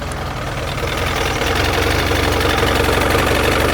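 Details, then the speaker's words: Roughly 60-year-old abandoned Evinrude two-stroke outboard, first run in years, in a test bucket with milky water and oil gunk: busy uneven putter about four firings a second, started hard; rough running after storage, shut off to avoid damage. "I'm sure that'll change a little bit once I fire it up, but it started. Not as easy."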